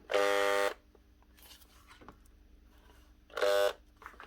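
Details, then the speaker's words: Makita HR2811F SDS hammer drill from 2011: two short bursts of flat buzzing hum with no spin-up, motor hot to the touch. Shorted, burnt-out armature, fixed by replacing the armature. "Sounds like a burnt out motor. Either that or it's totally jammed."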